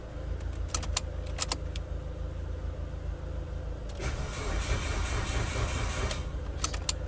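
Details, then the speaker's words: Car with a suspected dead battery, third start attempt after jumping: key clicks, then a slow, uneven, labouring crank with a low rumble that never catches. Weak crank, no start. "still not sounding too good there we go it's trying to do something"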